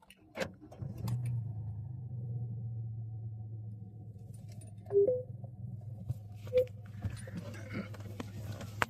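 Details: Hyundai 1.1 three-cylinder diesel with 342,348 km, original engine never rebuilt: brief crank, then catches and settles into steady even low idle over key and handling clatter; runs healthy.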